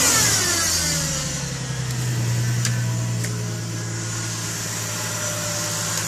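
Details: 2010 Ford Mustang V6, cold engine after sitting many hours; light metallic tick over the engine that speeds up and gets louder with revs and fades as it warms, owner suspects lifters, unconfirmed.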